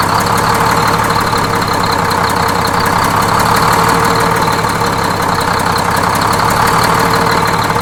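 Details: Freshly inframe-rebuilt Detroit Diesel 6-71N bus engine at first start-up, with the idle being set at the governor: a loud, steady idle with an even, fast clatter and no loping or misses. Normal idle.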